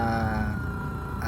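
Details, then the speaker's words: Car sound system with Android head unit, engine running: thin, steady upper-midrange whine over low engine rumble, getting louder with revs; alternator noise from badly routed wiring/RCA cables, to be rewired. "So pag ni-rev mo siya, sumasabay doon yung lakas ng kaya nakakarindi."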